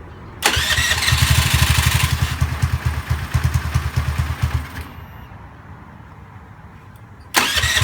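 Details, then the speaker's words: Honda Zoomer-X scooter after new fuel filter and fuel pump motor, fixing hard starting and stalling after start: quick start, then steady even idle with no stumbling before shutoff; normal start and idle. "สิ่งที่เราทำกับรถคันนี้คือเราเปลี่ยน2อย่างนะครับเพื่อนๆเปลี่ยนกรองน้ำมันเชื้อเพลิงกรองน้ำมันเบนซินนี่แหละครับแล้วก็เปลี่ยนเจ้าตัวมอเตอร์ปั๊มเพียงเท่านี้ก็เสร็จสิ้นกระบวนการแก้ไขปัญหาสตาร์ทติดยากสตาร์ทติดแล้วชอบดับเอง"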